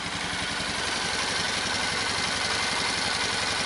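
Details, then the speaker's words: Old Magnum, unrun for years, started after oil change on old stale gas, oil likely overfull. Steady, even single-cylinder idle with quick constant beat, no misses or knocks; clutch very quiet, revs up without bogging; running cleanly. "boy is it ever quiet man that clutch hardly makes any sound at all and she rubs right up no bogging right on awesome"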